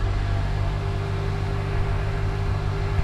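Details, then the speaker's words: 2007 Honda Accord 2.4 cold fast idle around 1500 rpm after new O2 sensor replaced for misfire code; smooth even hum, slightly raised steady pitch, no stumbles or misses; idling well, no codes stored. "Looks like it's idling pretty good right now. It's cold, 1500. so it's a little bit fast idle."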